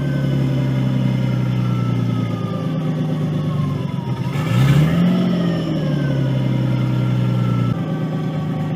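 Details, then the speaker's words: Nissan 240SX S13 RB20DET swap, start for test drive, PCV blocked to stop a vacuum leak, cold; steady low idle swells briefly mid-clip then sags and settles: hunting idle, owner suspects it just needs to warm up. "It might hunt a little bit. Don't stall out on me, baby. There's still a couple bugs."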